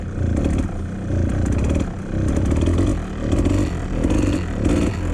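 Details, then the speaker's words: 1997 Kawasaki KDX220 two-stroke, rich after rejetting (42 pilot jet), just switched to fuel reserve: revs surge and sag, blipping and dying back, really boggy; fouled spark plug suspected. "Really boggy. That's weird. H. I wonder if this is what he was talking about when he went to that 42 pilot jet. Now, that almost sounds like a fouled spark plug."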